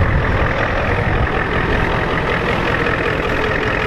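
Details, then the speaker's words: Ford F250 7.3 IDI diesel running after a 12°F cold start, being driven slowly around the yard: even steady clatter with a deep low rumble, no misses or knocks; runs well, healthy idle. "see if it'll die on me runs pretty good though"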